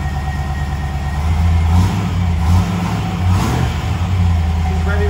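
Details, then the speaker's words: Classic Range Rover started after sitting a while, with brake pressure first built by the high-pressure brake pump, before towing to a shop for a full service. It catches, settles, then blips up and back down cleanly, no knocks or misses; sounds healthy. "should we start her up ready all right another startup she has been sitting for a little bit so"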